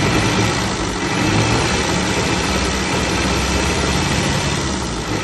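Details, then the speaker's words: 1934 Austin Seven Ruby, bought non-running at auction, just revived and started first time (a few leaks, choke sticking a bit): old four-cylinder ticking over evenly at a low idle, steady with no knocks or misses; healthy, normal idle. "wow that's lovely our non running project is now a running project"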